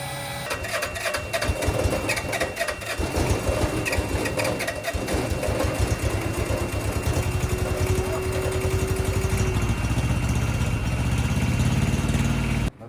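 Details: Electric fuel pump on a truck wired to a separate battery with a makeshift hookup, priming fuel: fast steady buzzing pulse with no stutter; pump running normally.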